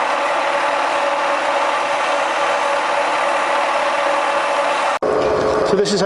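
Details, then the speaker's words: Bridgeport milling machine Vari-Speed head after service and reassembly: smooth even whir rising with dial speed, steady mid tone, no knocking or grinding, much quieter than before; normal running. "so now we've uh swapped that round put it back on you see as the dial increases the speed increases see here that it's a lot quiety than before certainly"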